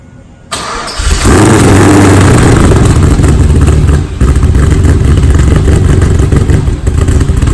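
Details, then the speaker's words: LS V8-swapped wrecked Mazda RX-7 FD, first cold start after rebuild, no radiator or cooling system fitted: starter catches, deep loud lumpy idle with throttle blips, runs strong with no knocks or misses; flames, smoke likely from sprayed WD-40, running kind of rich. "I just seen some flames. Man, this thing sounds like a mini Corvette."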